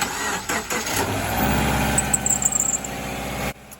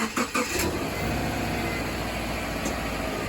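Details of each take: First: 2011 Subaru Forester turbo: the engine cranks and starts, then a burst of sharp, high chirping squeaks; the owner suspects the serpentine belt, which he suspects also squeaks when the steering wheel is turned. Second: Subaru after serpentine belt replacement and tightening, started on a chilly morning: brief crank, catches and settles into a steady, even idle; steering wheel turned, no belt squeal.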